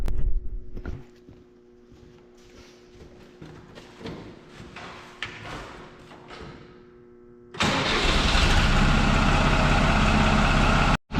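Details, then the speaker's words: Farm tractor after its hard-starting problem was traced to dirty battery cable connections and fixed: quiet for several seconds, then the engine catches at once and runs steadily with no repeated cranking. A clean, normal start. "so that's all that it was was dirty battery cable connections"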